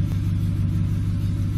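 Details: 2007 Ford F-150 5.4L 3-valve V8 idling after the loose cylinder 2 spark plug was fixed (P0302 misfire): deep, even rumble with no stumble or skipped beats, smooth idle on all cylinders.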